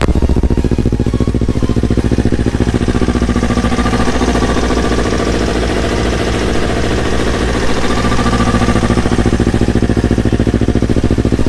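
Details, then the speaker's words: Yamaha R25 after swapping in a Yamaha R3 engine, on first start with an Akrapovič exhaust: a fast, even, pulsing idle at a steady pitch with no knocks or misses, so the swapped engine runs smooth and healthy. "Blok R3 halus suaranya."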